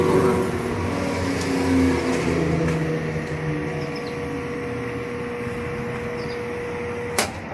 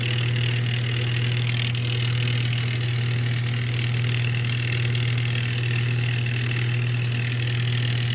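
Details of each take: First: Whirlpool top-load washer drive motor bench-tested, powered but not hooked up: steady even hum, clean constant tone, no knocks or grinding as it spins freely; motor runs normally, not the cause of the jammed drum. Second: Whirlpool top-load washer on spin after a loose wire connection was fixed: a steady low motor hum with no drum swish. The motor runs but the tub doesn't spin; the owner suspects the clutch is not grabbing.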